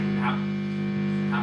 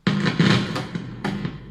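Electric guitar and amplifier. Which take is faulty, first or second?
first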